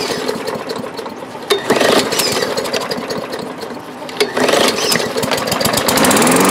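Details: 2012 Murray lawn mower with Briggs & Stratton engine after carburetor work: catches and settles into a steady, crisp single-cylinder run with clean revving, no misses or knocks; normal running.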